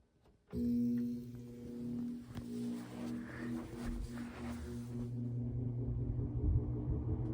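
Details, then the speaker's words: Vintage General Electric box fan model F12-S14, started on low speed: sudden start, then steady low hum and soft whoosh building evenly to speed; running condition healthy. "Very cool fan with a very cool startup sound."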